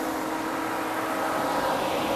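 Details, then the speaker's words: 2004 Mercedes ML500 (W163) after fixing overheating at standstill, tested before a 75–80 mph freeway drive: strong, steady rush of air with faint even hum, no rattle or surging; radiator fan now running at high speed normally. "I don't know if you can hear it the problem has been fixed this thing is blowing some serious air right now"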